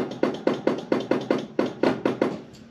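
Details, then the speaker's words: 1982 Fiat 124 Spider horn circuit tested by bridging the horn button contacts with needle-nose pliers: the newly installed relay clicks sharply and regularly, about four times a second, working normally. The horn may lack power or have a dirty ground. "you might see the light come on see a little orange glow off on off on you can hear the relay clicking that one we put in"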